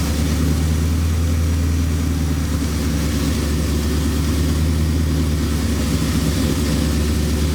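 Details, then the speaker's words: 1973 Impala 406 small-block Chevy V8 after replacing a collapsed lifter and fitting 2-piece guide plates on aluminum AFR heads, total timing about 36°. Steady, even rumble on all 8 cylinders at warm-up idle, not yet fully warm. No ticking from the top end. "So this thing sounded pretty good, firing on all 8 cylinders."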